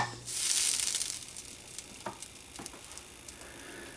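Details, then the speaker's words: 25-inch K7000 arcade monitor chassis after repair of fuse-blowing fault and new flyback: short crackle of static at switch-on, then faint ticks and no popping; normal CRT power-up. "And it powers up nice and strong. Good sounds. I don't hear it pop locking and dropping anymore."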